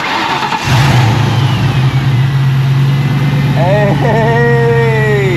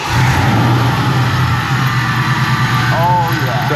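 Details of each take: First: 20-year-old Saleen Mustang after replacing the stock Ford pulley at the front of the engine: cranks, catches at once, settles into a smooth steady idle with no squeal or chatter; earlier front-end noises fixed. Normal start and idle. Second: Saleen Mustang, about 20 years old and supercharged: at steady idle a faint rough whirring comes from the front accessory drive. The supercharger was feared as the source.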